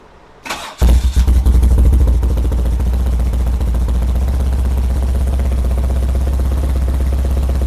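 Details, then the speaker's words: 1978 BMW R100S airhead boxer twin, first start after a multi-year slumber: catches after a short crank after starting fluid is sprayed into the left carb, then runs lumpy and uneven with missing beats; left carb's fuel passages blocked by gummy gas, running on one cylinder. "Towards the end of the video, you saw me grab some starter fluid and spray it into the left carb, and it ran. This left carb finally started running, and that"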